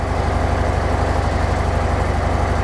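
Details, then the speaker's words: Harley-Davidson Softail Sport Glide, cold engine with TMS engaged: deep, even, lumpy V-twin idle held slightly high, around 1,430 rpm, dropping once hot; no tapping or misfire, normal. "what because it's a cold engine it's actually set a little bit higher I've actually got AI TMS actually engaged on my bike so it is a little bit higher there"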